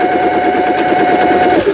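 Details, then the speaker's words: Singer 8280 low-cost household sewing machine, overused as semi-industrial until the lower-shaft unit gear broke and gears were knocked out of alignment, after the gear was replaced and realigned: rapid, even needle clatter with light motor hum, no binding, normal sewing. "쭉쭉쭉 나가죠. 4번 너무 넓다 해서 2번 후진 버튼, 그다음에 패턴 다이아를 돌려서 지그잭 바느질, 누빔 바느질, 세발뜨기 바느질. 기능이 단순한 기계네요."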